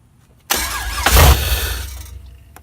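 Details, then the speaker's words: Nissan 350Z with LSX (LS truck engine) swap, 98 Corvette LS1 starter, unfinished build (O2 sensors, oil lines not done): starter whirs, engine catches briefly then dies each crank; stalls after starting, cause unconfirmed. "now the motor is dying out every time I crank it I'll show you a clip real quick"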